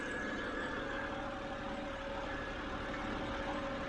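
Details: 2007 BMW 328i E90 after new electric water pump and thermostat, warm at about 194 degrees, pump heard working: even, settled idle with a steady faint whine, no knocks, ticks or hunting; idles smoothly.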